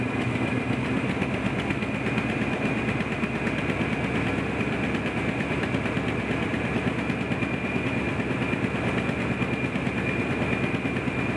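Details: 1986 Chevy K10 Squarebody Silverado V8, revved: loud with uneven irregular popping chuff in the exhaust; owner suspects leaking exhaust manifold gaskets, not confirmed.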